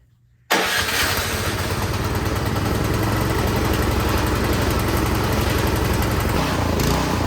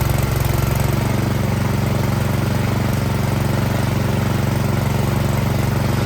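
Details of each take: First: Troy-Bilt Storm 2660 26-inch snowblower, start after priming: runs, then rhythmic rise and fall in speed (hunting/surging) once choke is fully off, fine at half choke; carburetor fault, fixed by cleaning the carburetor. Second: Troy-Bilt Storm 2660 26-inch snowblower after carburetor cleaning, previously surging badly, started fully choked with primer line disconnected: steady, even small-engine beat, no hunting or surging; normal running.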